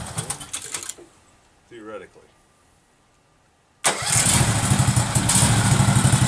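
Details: Case 446 garden tractor during restoration, after rewiring the ignition to get spark, carburetor solenoid clicking: the engine catches at once and settles into a steady, even low idle with no throttle linkage, no misses or knocks.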